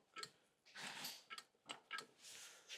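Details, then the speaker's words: Ford Transit Custom with severe vibration under acceleration: scattered sharp clicks and light clunks as the removed dual mass flywheel is rocked by hand, excessive free play; flywheel failed, replaced with new flywheel, clutch kit and hydraulic bearing. "definitely the flywheel is gone. Anyway, we got a new clutch kit."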